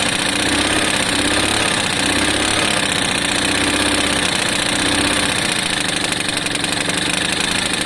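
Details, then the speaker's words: Lexmoto FMX 125cc single, kick-started after checking for spark: sharp rapid puffing tick riding on the exhaust note, exhaust still blowing a bit, likely at the header joint; owner hopes to nip it up. "Is that the exhaust sounds like it's still blowing a bit, but hopefully I can nip that up."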